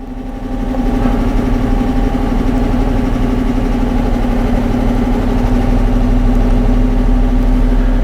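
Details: 2012 Dodge Charger V8 with a steady idle and a faint, uneven stumble in the exhaust beat, about four a second. The misfire is worse at idle and clears off idle, and persists despite new lifters, camshafts, rings, heads and coils; one cylinder shows no turbulence.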